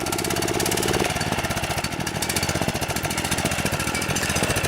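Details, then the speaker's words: DR TR-1 trimmer, Kawasaki FC150V 6.75 hp engine, stored too long with a gummed carburetor: it putters at a steady idle but stumbles and won't rev up, as the main jet is plugged while the slow-speed circuit still works. "seems like it'll idle okay just won't wrap up break up what that's telling me is the main jet inside the carburetor is plug"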